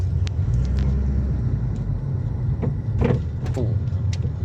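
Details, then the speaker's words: Subaru WRX with electric power steering on road test: sharp, irregular clunks through road rumble over rough pavement, from worn steering rack bushing, fixed by rack rebuild. "So kung maririnig niyo so napakalakas ng kalampag niyan. So try natin na ito ah nasa road test tayo."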